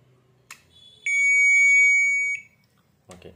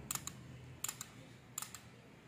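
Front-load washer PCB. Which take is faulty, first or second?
second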